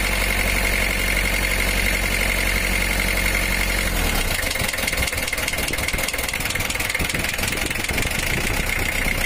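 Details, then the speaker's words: Mitsubishi L300 diesel idling heavy and lumpy, with uneven knock, wandering revs and shaking and weak-sounding running; cylinder head cracked, water filled combustion chamber (water hammer) and bent a connecting rod, needing engine teardown. "suaranya pun kayak kurang bertenaga goyangannya mesin dan rpm nya itu tidak berkenan"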